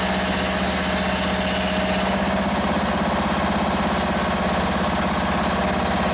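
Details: Free Toro ride-on mower, started after fuel was raised above the carburettor to fill the float bowl; still needs a battery: steady, even putter at constant speed with no misses, surging or knocks; normal idle.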